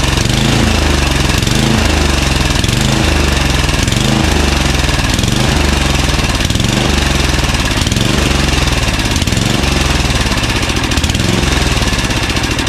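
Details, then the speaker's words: Craftsman 9HP Tecumseh 29" snowblower after partial carburetor cleaning: loud single-cylinder chug swelling and sagging about every second; surging less often but ongoing, pilot jet suspected, possibly bad gas. "it's better it is definitely better it surges less often and i could take this thing down to almost half its speed and didn't stall until i took it lower than that"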